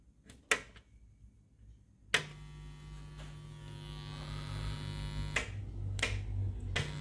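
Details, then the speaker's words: 1981 Sansui FR-D25 turntable with hardwired RCA cables on amp phono input, after a month or two unused: click then steady low buzz through the speakers; ground loop suspected, amp possible but doubted. "Ah, fuck. Ultimately, it could be the amp, but I doubt it. There seems to be some sort of ground loop going on."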